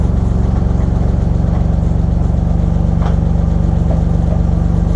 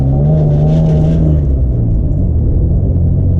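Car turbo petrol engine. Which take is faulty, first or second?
second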